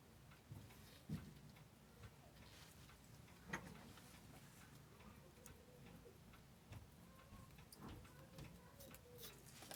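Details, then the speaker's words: Seiko 6306-7001 watch during restoration, gear train powered up running almost silent with faint ticking and a few handling clicks, no whining: a healthy, correctly set train. "yep that's exactly what we want gosh it sounds so quiet too that's a real good sign when you when you power one of these things up like this and you hear it and you can hear the train whining that's a bad sign it's almost completely silent which is what we want"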